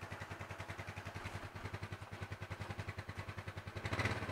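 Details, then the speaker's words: Yamaha Mio Sporty scooter after engine rebuild and original carburetor refitted: quiet, even putting at idle about three and a half beats a second, started on first press; normal idle. "sudah normal, teman-teman. Oke. Putaran idle"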